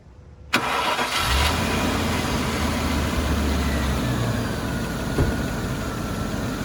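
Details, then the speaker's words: Land Rover Discovery V8 with some valley-pan sludge and minor oil seep: starter catches at once, then smooth, quiet, even low idle with no knocks or ticks; runs well. "So like I said, it runs really smooth, really quiet, has good power, as much power as these are ever going to have."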